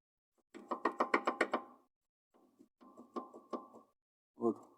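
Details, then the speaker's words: Rear suspension knock: the rear strut is rocked by hand, giving a quick run of about seven dull clunks, then softer ones. The strut itself is fine; the play is between the strut and its upper mount. Finding: worn rear upper strut mount. "между вот этой штукой вот куда она входит получает зазор не столько стучит не стойка стойка со стойки все в порядке оказалась вот эта вот"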